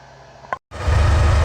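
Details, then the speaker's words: Porsche 944, sat about 3 years with 3.5-year-old gas: brief click, then steady low rumble settling into an even run with no knocks or misses; runs okay, though a coolant leak underneath is noted. "All right, so the event of starting the Porsche, as you can hear, it does run. Holy crap, 3.5-year-old gas in here, but it runs and it's doing okay."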